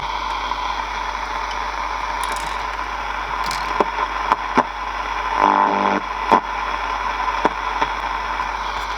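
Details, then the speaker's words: Sony CFS330 boombox after switch cleaning, before tuning capacitor and dial cord work: steady hiss, crackle and clicks across the AM band with no station received; tuning fault suspected, unconfirmed. "still not don't seem to get a station and we're hitting the dead end"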